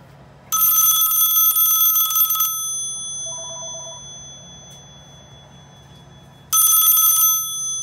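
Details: Western Electric 500DM telephone: two bursts of loud, bright ringing, each about two seconds of fast rattling clangs. The ringer works properly.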